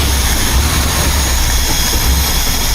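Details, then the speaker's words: 1976 BMW 2002 carbureted four-cylinder, after valve adjustment and carburetor/timing tuning: deep, uneven, lumpy idle with wavering low rumble; rough idle that shouldn't be. Smooth when revved, with a slight miss somewhere. "Oops, see that rough idle, eh? Rough idle. It shouldn't be like that."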